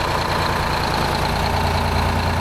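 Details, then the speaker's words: 1975 Peterbilt 359, Detroit 12V71 V12 two-stroke diesel, right bank previously cold and smoky from a fuel pressure problem; after fix: deep even crisp idle, no stumbling or knocking, hardly slobbering; normal idle. "it's pretty Crisp that's much better sick I think we got her licked"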